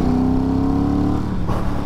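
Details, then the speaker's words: Ducati Hypermotard 1100 S, just back on the road after a four-year rebuild, with a K&N induction kit and two large K&N filters; on the road, a deep, even V-twin drone rising smoothly under throttle and easing off, running strong and clean. "fine but it sounds I don't know if you're going to hear on the camera but it does sound absolutely awesome this thing"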